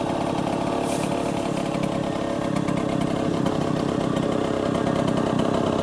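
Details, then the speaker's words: 1966 Harley-Davidson Aermacchi M50S two-stroke after the idle was dialed up a little: steady, even buzzing idle with no stumbling or surging; normal idle. "that's idle and nice now yeah I dialed it up a little bit"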